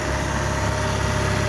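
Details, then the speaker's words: 1988 Shelby CSX-T idling with AC switched on: steady idle with light, busy rattle over it from the AC compressor, still cooling; noisy AC compressor. "I will turn the AC on now, and you'll be able to hear the kind of the rattly noise that stupid thing has. You can hear the AC compressor now."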